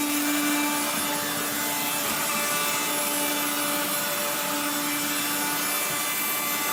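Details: 1970s blue Regina Electrikbroom 3-speed vacuum vacuuming a floor: a steady high rasping hiss with a gritty scraping edge over the motor whine, from motor bearings gone dry after someone washed the motor and fan.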